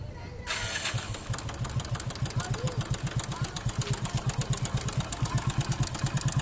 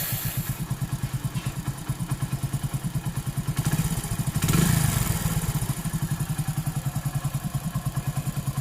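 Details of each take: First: Hero Honda 100cc motorcycle, which has no timing chain adjuster: the engine settles into idle with a quick, steady metallic rattle on each firing pulse. A worn, slack timing chain is confirmed; it needs replacing or adjusting. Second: Hero Honda 100cc motorcycle idling just after timing chain adjustment: even, steady thump with no cam chain rattle, sounding like a new timing chain fitted; normal idle.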